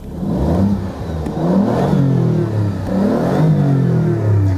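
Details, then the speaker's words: Alfa Romeo Giulia Quadrifoglio (2019 example), slightly warmed, stationary revs in Normal drive mode, mic at exhaust tips: blips rise and fall cleanly without stumble or rattle, no rev limiter hit; normal healthy engine rev. "Nie ma ref limitera, to już coś."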